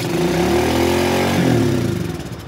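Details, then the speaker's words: Old carbureted dirt bike with carb idle adjustment screw tightened all the way in: catches and climbs straight to a fast high rev instead of settling; high idle from screw set too far in. "so right now with it being this tight it should try to try to uh just rev up really high"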